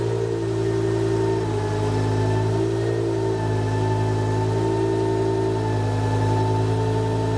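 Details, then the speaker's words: BMW E60 M5 S85, first startup after new rod bearings, no coolant yet, secondary air pump hose disconnected: smooth, even idle with steady low hum, no ticking or knocking; normal. "Okay. Everything actually sounds really good. I can't hear that secondary air pump screaming because it's not hooked up, or the hose isn't hooked up to anything."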